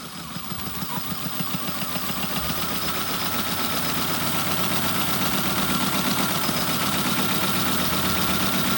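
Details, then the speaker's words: 2004 Honda Civic EX four-cylinder that cranked without starting: after reattaching a loose harness ground, it catches and climbs to a steady idle, pulses about four a second; loose ground was the no-start cause. "that's crazy well I may have needed a crank in a cam sensor um but it wasn't the reason it wasn't starting I found a ground that just wasn't attached"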